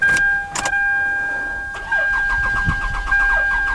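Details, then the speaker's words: Intermittent no-start Toyota Camry with a dead battery, on a jump pack, cranking steadily: sharp exhaust backfire bangs and RPM shown but it never catches; reported out of time, runs fine when it starts; cam/crank signals suspected. "ah I heard the bang I see an RPM interesting watch the fuel gauge so I don't want to turn the key off just yet"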